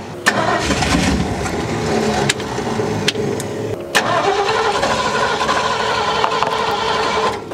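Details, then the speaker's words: 1972 Ford F100 sitting untouched 12+ years: starter churns in bursts but engine never catches; fuel pressure felt in hose yet no fuel reaching carburetor, suspected accelerator pump or closed float bowls; crank-no-start from fuel starvation. "right, we're just not getting fuel to the carburetor, I don't think. I can feel pressure in the hose, but we're just not getting any fuel in there."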